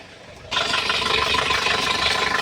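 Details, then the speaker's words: Chevrolet Tavera diesel idling after morning start with fan/alternator belt deliberately loosened: steady high-pitched cup-like squeal over the diesel tick as the belt jumps and slips on its pulleys; loose belt squeal. "ഈ കാണുന്നത് fan belt loss ചെയ്ത ഇട്ടിരിക്കുകയാണ് belt ചാടി ചാടി പോകുന്നത് നമുക്ക് കാണുമ്പോൾ അറിയാൻ സാധിക്കും ഈ ഒരു കരച്ചിൽ ഈ ഒരു കപ്പ് കരയുന്നപോലെ കരച്ചിൽ പല വാഹനത്തിലും കവേര്ക്ക് നോർമലി ആയിട്ട് വരുന്നതാണ്"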